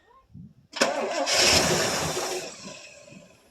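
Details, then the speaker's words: 1984 Chevrolet Suburban 4x4 cold start after about three years sitting, pedal floored once, push-button start. A short crank, then it catches at once and settles into a rough but steady run; normal cold start. "great thing about the little chibbies long as there's nothing mechanically well say long no catastrophe failure to them long as they got spark which haa is pretty reliable and gas and Spark they fire right off typically"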